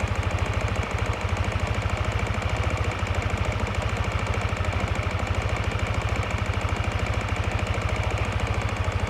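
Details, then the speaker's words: Yamaha NMAX v1 scooter at idle: regular light knock, roughly three a second in step with the engine; cracked magneto rotor (split in three places), not the crankshaft; fixed by replacing the magneto. "Ito ang salarin. Yan na yung tunog nito, ang bingi."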